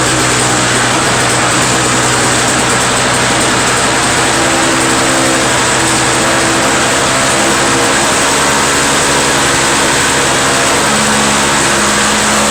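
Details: Two-stroke Toro snow blower after carburetor cleaned of a restricted jet: steady high-pitched buzz at even speed, no surging or stumbling; owner suspects plugged jet caused the no-start, now starts first pull and runs cleanly.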